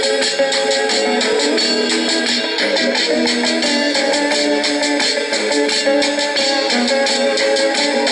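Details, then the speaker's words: Norelco 1230 cassette recorder, roughly 50 years old, playing a tape at high volume; loud steady music, even pitch, no dropouts or flutter; normal cassette playback. "okay there we can hear that it is indeed playing very well I say more than 50 years practically and it is playing quite well"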